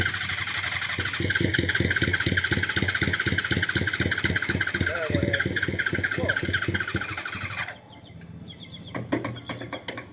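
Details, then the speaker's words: Motorcycle catches and runs with a quick uneven beat for several seconds, then dies abruptly; stalls after starting, cause not found, needs fine tuning. "That's strange. It was working a minute ago, everybody. A minute."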